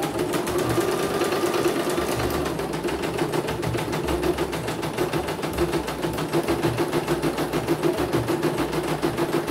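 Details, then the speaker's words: CNY embroidery machine (M21 label) sent in fully jammed with heavy rotation; after replacing the motor (dinamo), sound slightly different but no problem: fast, even stitching, steady beat, no jams or grinding, normal. "Oke, kita jalankan, perhatikan normal. Oke ya, langsung jalan langsung normal ya."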